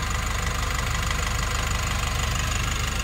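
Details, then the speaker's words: Nissan NV350 diesel at idle after new injector washers and one replaced fuel injector: an even low chug of about three pulses a second, no misses or knocks. The knocking and heavy vibration are fixed, no check engine light, normal idle. "ngayon wala na siya mga boss alr so na-solve na natin yung problema ng NV350"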